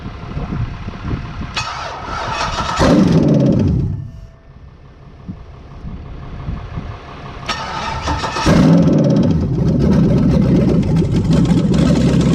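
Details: 5.3L LS V8 on an engine stand, first start after fuel system plumbing with an external inline pump: cranks, catches and settles into a steady, even idle with a brief rev; clean first start, no knocks.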